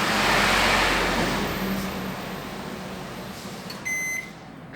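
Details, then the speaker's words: Brastemp microwave after burnt high-voltage diode replaced (it had been making a loud noise and blowing its fuse), running 30 seconds heating water: even low hum, then end-of-cycle beep; noise gone, fuse holds, normal operation. "E aí 30 segundos vamos ligar tá ligado e acabou aquele barulho não tá queimando mais o fusível é bom e vamos ver se ele vai esquentar água pelo menos né"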